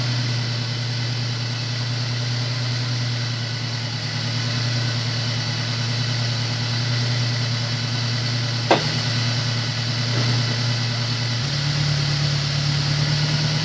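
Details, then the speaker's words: Honda S2000 idling after replacing the melted, stuck number-one coil pack; even, steady idle with a smooth low drone, no misfire stumble or popping; sounds really good; normal idle. "it was stuck in there now the car sounds really good"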